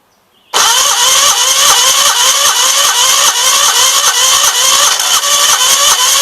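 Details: 1976 Gravely 816 twin, first run on old gas, choke opened manually: lopsided, stumbling chuff about 2.5 beats a second, running on the right cylinder only; owner almost sure the other side's exhaust valve is stuck open.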